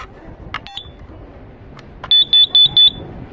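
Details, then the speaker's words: Carbon monoxide alarm being tested outdoors in a garden: a couple of stray chirps, then four quick shrill beeps in a row. The alarm keeps sounding with no clear cause, and the owner is unsure whether it is broken or working. "Okay, it's beeping."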